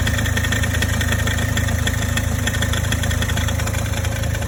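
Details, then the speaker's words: Toyota Corolla E150 cold start: fast light clicking rattle over engine hum, loudest near right front passenger wheel, lasting 1 to 3 minutes then fading; sounded like alternator bearing but cause was the belt tensioner pulley under start-up load: tensioner pulley rattle. "Особенно хорошо это было слышно возле правого переднего колеса с пассажирской стороны. Звук цоканья, как будто подшипник генератора гремит."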